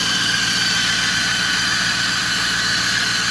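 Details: 2008 Ford F-350 Super Duty 6.4 diesel running: loud, steady high-pitched squeal near the turbo area; cause not pinned down, suspected only.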